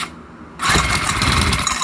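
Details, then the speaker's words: Craftsman 34cc 4-stroke trimmer with Briggs & Stratton engine, primed with carb cleaner on choke: fires raggedly for about a second then dies; enough compression but not getting fuel from the carburetor. "we go so it fired up and then it shut off so that lets me know that there is enough compression inside of that engine to allow for the combustion process to take place and it basically just died out because it's not getting fuel"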